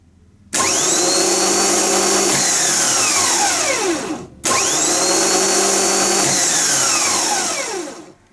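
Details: Bosch starter motor (from a BMW 740 M60) bench-tested on 12 V: two crisp bursts of high whirring that hold steady, then spin down smoothly; a normal free-spinning starter.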